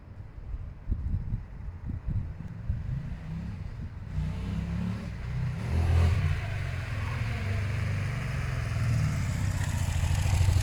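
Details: Suzuki SV650 test ride: deep, even engine note building smoothly as the bike pulls away and gains speed; the exhaust leak heard earlier is no longer audible.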